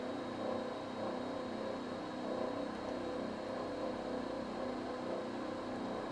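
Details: Vaillant boiler at 86–87 °C flow, above its roughly 75 °C maximum, after debris was removed from the filter: steady rushing, crackling rumble and rattle; kettling from overheating, with a blocked coil suspected.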